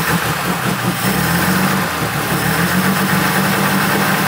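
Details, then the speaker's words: 1970 BMW 2800 CS (E9) coupe, six-cylinder, first start after 38 years in storage: fires easily and settles to a steady, even, quick idle with no misfire or tapping; healthy normal idle. "no way no way no way that is not fake I cannot believe how easily that just that's ridiculous wow that's so impressive"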